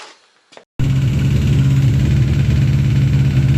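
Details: Suzuki GSX600 motorcycle engine at idle with a hard, regular valve clatter from the top end, about three to four knocks a second, persisting at any valve clearance; cause was a rocker arm eaten by worn camshaft and poor maintenance.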